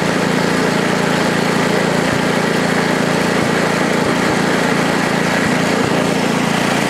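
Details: Ariens ST824 8 hp snowblower, throttle stuck at about mid-range, started right up: small single-cylinder engine holds a steady, even beat with no misses or knocks; normal running.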